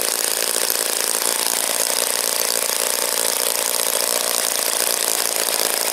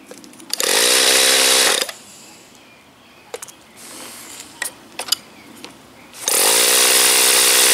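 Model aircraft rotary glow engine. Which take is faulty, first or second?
second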